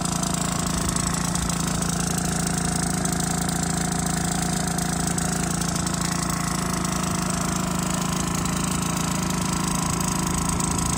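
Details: Aprilia SR50 Morini two-stroke scooter on a test drive, idling with a raspy, buzzing note and faint puffing from an exhaust leak that started at a different spot.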